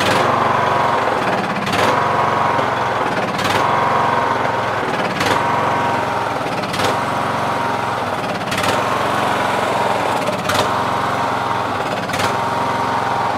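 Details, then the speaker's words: Yard Machines MTD lawn tractor, 20HP Briggs Intek, Nikki carb: engine speed rises and sags every couple of seconds instead of holding steady. Surge; mixture screw broken so cannot adjust. "Sometimes it surges, as you guys can see, it surges. Sometimes if you just clean the carb, it won't surge, but more than likely it'll still surge because I broke the fuel mixture screw, so I won't be able to dial"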